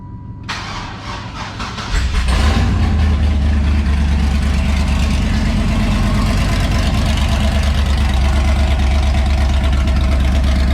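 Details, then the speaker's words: LS-swapped 1994 Chevrolet Impala SS with broken headers welded back on, running open headers. The V8 cranks briefly, catches and settles into a loud, steady, deep-rumbling idle; normal start and idle. "Sounds good to me. Yeah, she's still loud. Open headers."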